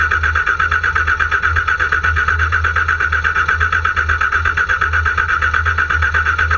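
Steady, even cranking pulses, nearly three a second, run the whole time and the engine never catches: cranks but won't start.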